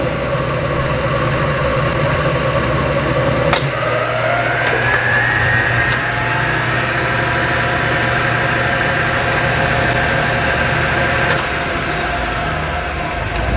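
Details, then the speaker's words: 1975 Hardinge HC Chucker lathe after drive belt adjustment, two-speed motor and variable speed pulley: steady hum, then whine climbs smoothly shifting up to high speed, no knocks; speed change working properly, normal running. "anyway anyway that's how bob speed change works and now all of that is working properly"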